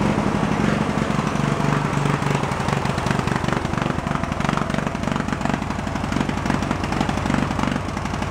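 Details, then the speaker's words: Junk lawn tractor's small Briggs engine: fires about four beats a second, uneven and lumpy, with fuel blowing out of the carb; only keeps running on choke, so the carburetor still has issues. "[Applause] yeah only wants to run up the choke on so definitely still has some carb issues with it"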